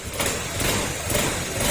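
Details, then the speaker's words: Honda Click 150 scooter that overheated and spewed coolant from the radiator even when cold, now after repair. The engine settles to a quiet, even running note with no knocks or surging; a slight noise comes from a worn exhaust gasket. Sounds healthy. "Tahimik yung makina, yung may kunti kayo naririnig dahil dun sa ano, sa exhaust gasket."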